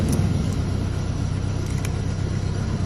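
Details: 150cc motorcycle that wouldn't electric-start due to grounding fault, started by touching the wire to frame ground: low, steady rumble settling into an even idle with no misses; starts and runs fine.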